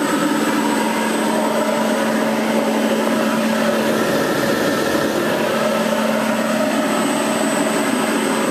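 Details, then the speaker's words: Dust collector blower on a VFD with an undersized motor, run at about 60–75 Hz (roughly 70–80+ dB): loud steady airy roar with constant hum and faint VFD buzz, no rattles or grinding; normal blower run. "Not bad. You can hear the buzzing from the VFD."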